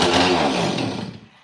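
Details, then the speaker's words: Stihl 026 Pro chainsaw after a fuel line change; screams about a second then revs sag and it dies, as if starving for fuel; owner suspects fuel line curling or catching, low-speed adjustment also touched; cause unconfirmed. "Sounds like she's running out of fuel."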